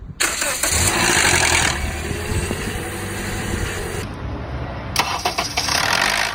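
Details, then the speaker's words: Engine start-up: catches and settles to idle with a brief metallic rattle only in the first seconds, then fades; given as an example of damaged or stuck cam phasers (variable valve timing), not confirmed for this engine. "Este ruido se presenta nada más en los primeros segundos de encendido y después se quita."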